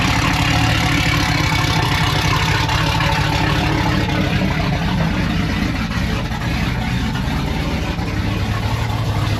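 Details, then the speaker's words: Chevrolet Silverado that sat almost two years, idling while warming up, recorded with the rear microphone: a deep, loud rumbling idle with a heavy low drone. The exhaust is too loud and may need a resonator. "it's a little too loud we might have to put a resonator on it quiet it down it's crazy the truck's been sitting for almost 2 years"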